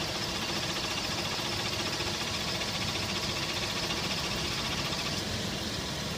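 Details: Toyota Tacoma idling: light, fairly regular knock about three to four times a second over the engine rumble; source of the knock unknown.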